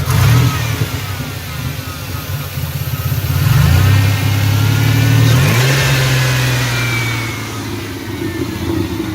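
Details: Turbocharged Chevy S10 V6, 5-speed, running a first Greddy e-Manage tune with a 12-inch glasspack: after a blip the revs fall slowly and hang above idle for seconds before settling. This has happened since the turbo install. Owner suspects the mass airflow sensor placement; the engine sometimes stalls after a hard pull.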